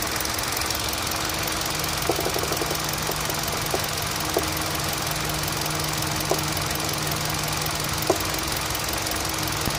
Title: Knocking Sound from Engine